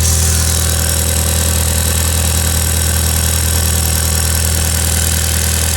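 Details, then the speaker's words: Ford Escort Van with 1.8T 20v engine on a freezing day, first start after fitting new injector/inlet cups and refitting throttle body and inlet, bolts hand-tightened: even, steady idle with a firm low drone, no hissing, ticking or hunting; runs fine, no leaks. "But yeah, all back in there, and just start it up, make sure it all runs alright. All good. No leaks."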